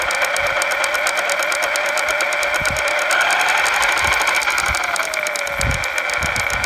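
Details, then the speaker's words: Losi Lasernut U4 RC truck: worsening drivetrain clicking, not from the wheel bearings, front or rear differential suspected. Steady sharp ticking about two a second over a thin motor whine; front diff had excess play and a loose ring and pinion mesh. "It's coming from the drivetrain, either the front or rear differential."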